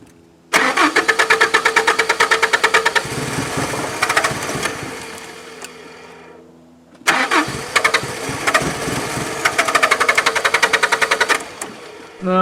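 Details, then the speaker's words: 1992 Mazda B2600i extended cab: quick, even cranking, then it catches and runs a few seconds before dying, twice over. It has spark and fires on starting fluid only; owner suspects a failed electric fuel pump. "Alright, so obviously it has spark. It's firing on the pop juice. My biggest fear is that the fuel pump went bad on it."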